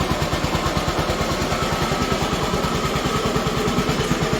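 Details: Honda ST90 motorcycle under restoration, small single ticking over in neutral with even low pulses about three a second, no knocks or rattles; healthy idle, clutch working fine.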